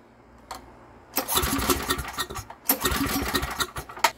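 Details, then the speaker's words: Estate-sale generator with no primer and good compression; two rounds of uneven pull-cord cranking with ragged bursts after starting fluid, never catching or running on its own. "it does not have a primer and if it doesn't start we'll use some starting fluid"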